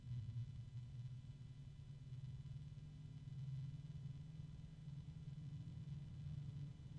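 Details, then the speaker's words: Corsair SP RGB Elite case fan running with a soft, steady low hum and no ticking, rattle or wobble. Not terribly loud, quieter than the ML120. Normal fan running noise. "we're going to listen to how loud this fan gets it's not terribly loud definitely not as loud as the ml120"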